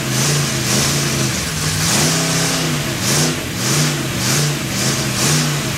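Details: Freshly built Chevy 283 V8 first fire-up, unplugged vacuum port: revs rise and sag unevenly under a loud rushing hiss, rough and lean; big vacuum leak, sounded better with a hand over the carburetor.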